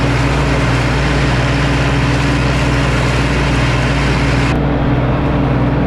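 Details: 1952 Ford 8N tractor, gravity-fed fuel, in neutral, after replacing the whole carburetor to cure stalling at idle and under load: steady low even idle without surging, stumbling or dying; it ran 20 minutes in the field without dying.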